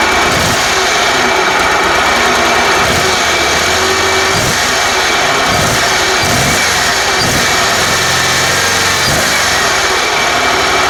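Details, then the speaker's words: Kohler 27hp riding mower with no spark, after cleaning the ignition coils and magnet: engine catches and runs steadily with light revving, no misses or knocks; running fine. "so definitely got good spark and it runs now so I'll demonstrate that for you"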